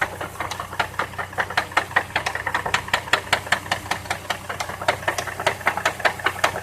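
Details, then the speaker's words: 2002 Chevrolet Trailblazer at idle just after oil change (7 quarts, dipstick barely showing oil): loud, sharp metallic knocking about 2.5 per second from the front of the engine, worse when driving; owner suspects a rod, unconfirmed. "Oh, you hear the ticking. It's knocking from the front of the engine."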